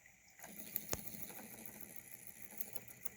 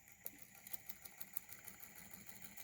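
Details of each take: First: 3D-printed Newman motor on 12 volts with new round commutator: spins fast and smoothly with light rapid chatter of copper foil contacts; the earlier thumping is mostly gone. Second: 3D-printed Newman motor on 12 volts with new round commutator, running smoother without the earlier thumping: light, regular ticks about six a second over a faint hum as the brush bumps the height step between copper foil segments.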